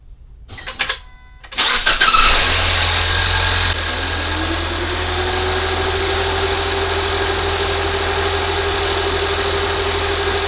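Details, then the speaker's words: 2019 Ford Fusion 2.0 EcoBoost after alternator replacement: cranks, catches and settles into a steady, even idle with no squeal or knock; the brief noise was coolant on the belt drying off, and it is charging fine. "Noise you heard was some of the coolant was on the belt. Dried out pretty quick, as you can tell. The noise went away."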